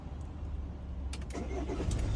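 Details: New Citroen Relay/Fiat Ducato/Peugeot Boxer diesel van remote-started in neutral via StarLine S9 alarm: brief crank, then catches and settles into a steady low idle, no stumbling or misfire; clean normal start.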